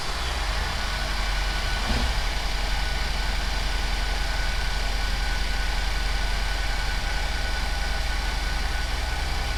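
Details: 2009-2017 GM 3.6 Chevrolet Traverse, after alternator replacement and battery reconnection: short catch as it fires, then smooth even idle with steady low hum, no knocks or squeals; charging at 14.8 V. Normal start and idle.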